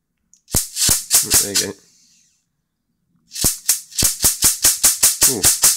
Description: This flyback has a large built in capacitor allowing an intense discharge over the gap of about 25-30mm (1 inch to 1.25 inches).